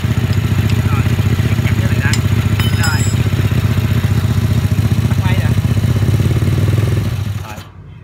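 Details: Vietnamese-built mini Ducati-style L-twin motorcycle, started after fitting the tank and exhaust, with the oil pump being checked. Steady, even twin idle with no misses, pops or rattles, then a clean shut-off: healthy.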